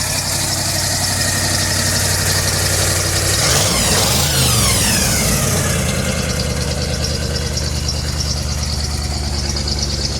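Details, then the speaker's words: 1985 Chevy C20 carbureted V8, cold, choke working and up on high idle: even fast idle with a brief blip settling back down, no knocks; healthy cold fast idle on choke. "I think the choke's working now, dude. Sounds like it's up on high. Oh, that's good."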